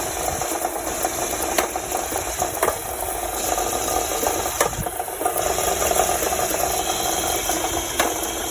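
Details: Honda Civic engine running with a steady hum and scattered sharp knocks every second or two, irregular rather than locked to speed; engine knock, cause unclear.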